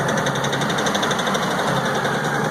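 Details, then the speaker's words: LS XR4155 diesel tractor with the throttle all the way down, sitting near 1200 rpm: fast, busy clatter with uneven ticking; dropping a cylinder on its own, cause not pinned down (owner hopes water in fuel). "the brake sounds like it dropped a cylinder it's not far in one cylinder put my foot on the brake brought it down here"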